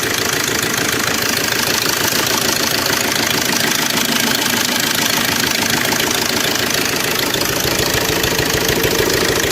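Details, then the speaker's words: Suzuki Swift Dzire DDiS diesel at 21,271 km, idling: fast busy metallic rattle over engine clatter from a slack timing chain; car struggles, stalls and won't climb in reverse. "और timing का इतना खतरनाक sound आ रहा है ना जोर से आएगा तभी आएगा फुल जोर आके"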